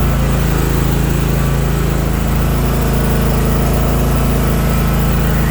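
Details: Toro TimeCutter 50-inch zero-turn mower, new, running after free fix for no-start from electric parking brake: steady even low thrum without misses, knocks or surging; healthy running.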